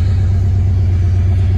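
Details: 1999 Dodge Ram 1500 5.2 L V8 that was dying at idle, after repair (owner suspected idle control valve), idling in gear: deep, steady rumble with no dips or stalling; normal idle in gear.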